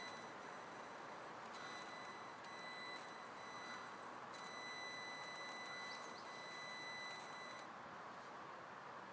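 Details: Audi S4 B5 1999 throttle body makes a strange noise: a thin high electronic whine cutting in and out over the running engine for several seconds, then stopping.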